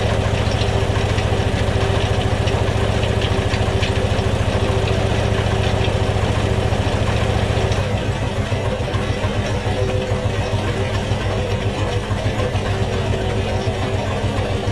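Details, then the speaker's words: 1969 Volvo 142S after installing new fuel pump, fuel line and hose clamps with old filter reused: steady, even idle beat with no misses or knocking, runs normally, pump works; exhaust smells terrible. "so looks like it works didn't instantly fail so i installed it properly the exhaust smells terrible but that's for another day"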